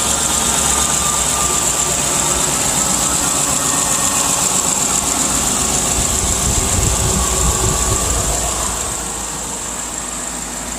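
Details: Chevy Silverado after fixing an exhaust manifold leak, new exhaust manifold bolts fitted on the passenger side: steady even idle with smooth hiss and rumble, no manifold ticking; quiet, healthy idle.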